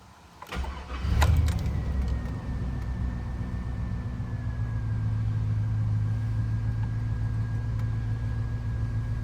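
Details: Cold start on day two after a crank-no-start breakdown that needed towing: quick crank, catches within a second and settles into a smooth steady idle with no knocks or misses, though idle oil pressure reads lower than usual.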